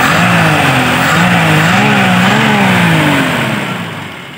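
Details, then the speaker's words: 1988 Toyota Kijang Super after carburettor service and ignition timing adjustment: engine revs rise and fall evenly with no shake, dropping back cleanly; running smooth and normal. "Halus, mesin tidak bergetar. Itu artinya normal, RPM bisa diturunkan sekarang."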